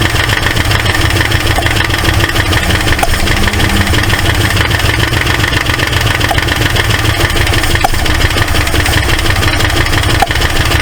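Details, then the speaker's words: 1968 Ford LTD left abandoned, first start: rough, lumpy running with sharp pops back through the carburetor and ticking, clicky-clack on one side. Owner suspects a stuck valve or bent pushrod. Intake backfire through carburetor. "it's popping back pretty good sounds like it might have a uh a stuck valve I don't want to run it too much"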